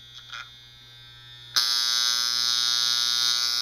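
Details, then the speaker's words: Andis Master magnetic clipper with the slotted armature adjustment screw backed off: a soft hum, then a loud, harsh buzzing clatter as the armature slaps the housing. Armature rattle from a loose adjustment screw. "way too noisy that's the armature clattering so now that we've loosened it to make it clatter we're gonna go the other direction"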